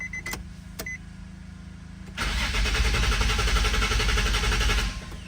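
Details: 2005 Nissan 350Z with unfinished VQ35HR swap, 69k miles, abandoned, full tank, fuel pump heard priming: about 2.5 seconds of steady even cranking, never catches; crank no start, cause suspected, possibly something unplugged up top.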